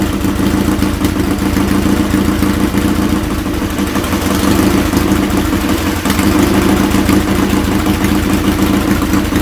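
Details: Restored Triumph Bonneville twin, rebuilt from parts, warm: loud, even twin-cylinder burble at steady idle, firing regularly with no misses or odd noises from the exhaust; normal idle.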